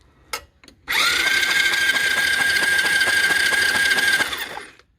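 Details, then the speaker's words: Chinese 110cc quad (ATV) with a charged battery, starter jumped with a screwdriver across the solenoid: it turns over with steady chugging about three per second but never fires, because there is no spark and many wires are disconnected. "no spark so as you can see there are a lot of wires not connected so let me sort this out and when we spark I get you guys back"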